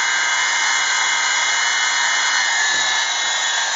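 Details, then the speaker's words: 1/4" Thor electric drill, older than the owner, running at no load after rebuild; steady high-pitched even whine, no crackle or stutter; it seems to be speeding up, maybe as the brushes bed in, and it no longer sparks like it used to. "so it does seem to be speeding up so maybe it's just a breath brushes are getting"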